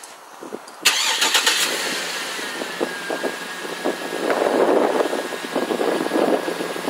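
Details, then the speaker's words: 2007 GMC Yukon Denali AWD, 6.2 L Vortec V8, 175,021 miles, cold start by remote start. The starter cranks briefly, the V8 catches cleanly and settles into a steady, even idle with no knocks or misses. "there we have the unit started i'm gonna go ahead and put the key in here put my seat back again so i can get in here and see what i'm doing"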